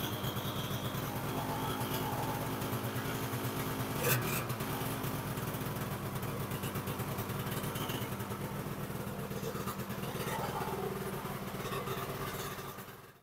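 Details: 1984 Yamaha Phazer snowmobile two-stroke after replacing the oil pump seal, fixing other leaks and torquing the secondary bolt to 43 ft-lb: quiet, steady buzz holding even speed without missing or sputtering; running normally, no more leaks seen.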